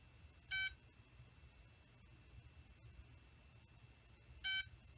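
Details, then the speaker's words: Bayangtoys X16 brushless quadcopter keeps beeping after both quadcopter and transmitter are switched off: two short high beeps about four seconds apart; battery cables must be disconnected to fully shut down. "hear that beeping so you have to undo the uh battery cables in order to completely shut down the quad cter internal functions"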